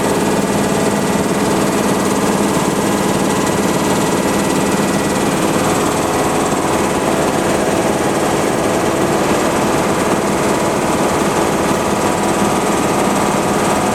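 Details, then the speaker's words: High-pressure compressor on first start-up with empty storage banks, filling toward about 5,000 PSI: steady loud roar with faint, uneven squeaky ticking as discharge plumbing pressure builds from zero. This is normal start-up behaviour. "you can probably hear some squeaky ticking in that that's just the plumbing as the air starts going from zero PSI and working its way up"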